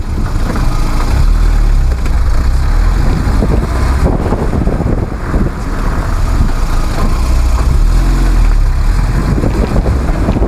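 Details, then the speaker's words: Quiet brakes after 1,000 km on new pads that were modified with slots and chamfers to stop squeal. Only road and tyre rumble while slowing, with no squeal; the pads brake effectively. "итак 1 тысячи километров уже пройдено колодки ведут себя тихо тормозят эффективно"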